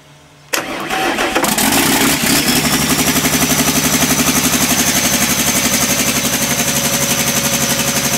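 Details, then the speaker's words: Sisu/AGCO Power 84CTAG-4V generator diesel, fixed-speed governor around 1400–1500 rpm: starts and settles into a steady clatter with a pulsing, somewhat uneven beat, demonstrated as running with a misfire or rough running, cause not stated. "Voitais kokeilla, että miten se karjahtaa miltä se kuulostaa käyntihäiriöisenä."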